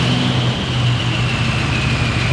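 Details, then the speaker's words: V8 on the Adventure Bus idling roughly with an uneven choo-choo chuffing beat: cylinder 7 dead and misfiring from a stuck-open valve; fuel pressure 60 psi and injectors tested good. "And do you hear how it sounds like a choo-choo train? Yeah, that's because cylinder 7, it's not doing anything. It's misfiring."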